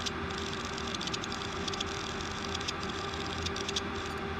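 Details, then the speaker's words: Old 160GB Seagate hard drive on power supply: quiet hum with constant whine and quick irregular typewriter-like ticking clatter; slight contamination found on head assembly. "it makes these sounds and with the drive being as old as it is I don't really know what they're tied up to but the most logical thing would be to test to have a look at what the head assembly looks like"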